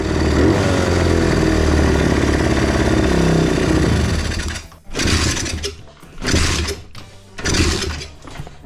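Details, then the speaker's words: Pitbike single-cylinder idling slightly high and unstable, idle screw not responding; holds raised revs for seconds after a throttle blip; kickstart too easy; owner suspects valves out of adjustment. "Obroty są trochę wyższe i niestabilne. Śruba biegu jałowego nie reaguje. Po dodaniu gazu, Pitbike utrzymuje dodane paliwo"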